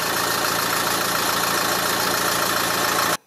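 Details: Dacia Duster 2017 diesel started after service with new fuel filter, oil, air and oil filters, fuel system primed after gurgling air: even steady diesel clatter at idle, no misses or knocks, then clean shutoff; normal diesel idle.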